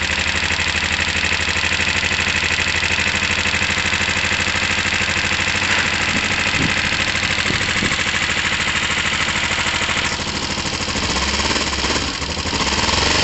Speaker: um that sounds fairly normal to me